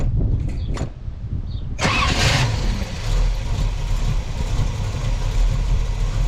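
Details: 1967 Chevy Camaro RS, small block 350, turbo 400, sat about a year in storage: brief crank, catches and settles into steady even low rumble, no knocks or misses; normal start and idle.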